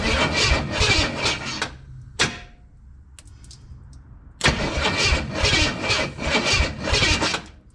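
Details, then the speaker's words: 1962 Chevrolet Impala 350 V8: fast, uneven starter cranking that stops briefly and resumes. The starter ground wire is smoking from a poor connection amid sketchy wiring, which is to be bypassed. "that's the ground wire smoking, because that's what's holding the ground wire on. Yeah, there is some just sketchy stuff going on underneath the hood."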